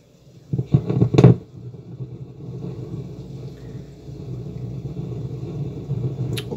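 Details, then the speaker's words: Novik EVO-250A/USB active powered speaker, potentiometers removed from board after customer complaint of hiss then loud noise; should be silent but after cable clunks a low constant buzz persists from speaker. "eu disse deveria porque eu já efetuei um teste e a caixa continua dando problemas"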